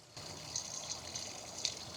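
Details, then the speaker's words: 1961 Buick LeSabre, new radiator just installed, cooling system under vacuum fill: soft steady hiss and gurgle as coolant is sucked down; normal fill, no radiator or engine leak. "It's like sucking it all down. I've seen people that leave these up and the molded hoses actually go flat. That's how much a vacuum ends up being inside of there."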